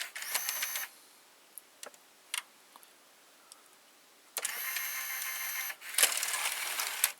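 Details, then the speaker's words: Panasonic SA-HT820V VCR/5-disc DVD combo, small changer motor shifting the disc carousel while ejecting discs 5 and 4; short bursts of thin high whirring separated by quiet clicks; normal mechanism. "Yeah, you can hear the motor changing position."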